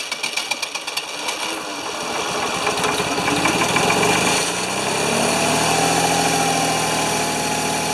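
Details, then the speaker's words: Free Ford 2600 tractor with worn rings, oil added to help them seal, cranks steadily at about four beats a second, then catches into a rough, uneven run; hard starting, and it is unclear if it will stay running. "so i don't know if it's going to stay running or not or stay that high or not or if it'll run we're going to try to crank it see if it'll start"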